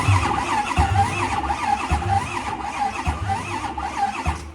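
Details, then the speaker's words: 6.4 diesel pickup, undrained charge air cooler, belt removed, cranked by remote start: starter drags and surges unevenly about 85 times a minute; hard uneven cranking, cause suspected, not confirmed. "I I called it I said I've seen this before with it cranking completely crazy and uneven like that"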